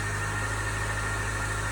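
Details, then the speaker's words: 2017 Land Rover Range Rover Evoque, first remote cold start of the day: steady low engine hum with a thin constant high whine on top; owner thinks an air pump is doing something, not confirmed. "as players I wanted to be something like there's an air-pump doing something anyway"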